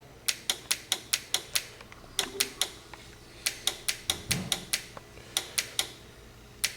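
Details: 1997 Toyota RAV4 that won't power up, with no dash lights and no horn: sharp dry clicks in quick runs of about five a second from a chattering horn relay, part 86530-20070.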